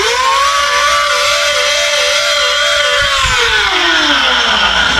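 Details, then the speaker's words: Battery-operated mini vacuum, about two years old, whose motor screams with a wavering, warbling whine and harsh hiss, then winds down. The motor is running dry before being lubricated. "this is my wife's battery operated mini vacuum we've had it for about 2 years it's starting to take a dump you can hear it"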